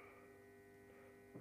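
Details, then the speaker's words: 400 W high-pressure sodium grow light: its magnetic ballast gives a low, steady mains buzz with a clear tone riding over it, unchanging with the lamp lit. It still operates fine, a normal ballast hum. "You can hear the bellows humming easily. Yeah, it still operates fine."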